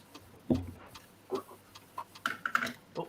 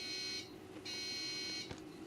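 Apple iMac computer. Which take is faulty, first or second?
second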